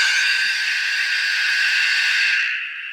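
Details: BITX40 radio receiver being rebuilt, oscillators running but no audio at first: loud, steady hiss blares for about two seconds, then cuts out abruptly; a bad connection is suspected.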